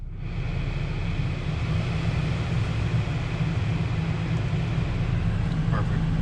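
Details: BMW F10 535i heater/AC blower fan after replacing the blower motor case cover, which had caused noise and vibration at higher fan speeds: steady smooth rush of air over a low even hum, with no rattling, ticking or scraping. Normal operation.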